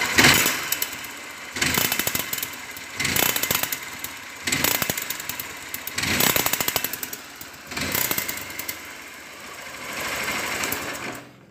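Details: Honda Bros 150 motorcycle with an engine noise: short throttle blips about every second and a half, each carrying a busy metallic clatter; cause found later but not stated here.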